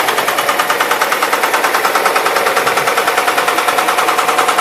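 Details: Engine knocking, same from cold start, then mellowing and returning under throttle: steady sharp knock about three per second over the running engine; cause unknown.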